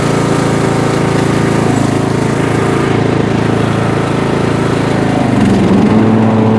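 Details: Bolens M762F 10 hp lawn tractor after the no-compression repair, on a test drive under load: steady, even single-cylinder drone with no misses, knocks or surging; the engine pulls smoothly and sounds healthy.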